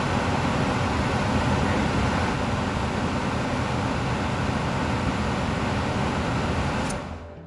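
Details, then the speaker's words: Attic gas furnace, thermostat wires jumped to W (heat call) to power on: steady even whoosh of airflow with low hum, no scraping or rattle as fan starts; fan running smoothly, normal. "If I push it in, I will have power. Supposed to be the heat start. Here is the fan already starting."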